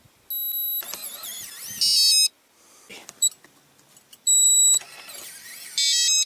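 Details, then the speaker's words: RV keyless entry door lock keypad after adding Gorilla Tape layers over the piezo speaker; short high beep bursts in repeating pattern, now soft and subdued; normal quieter lock beep. "definitely the beepings a lot less on it yeah that's a lot a lot better a lot more subdued"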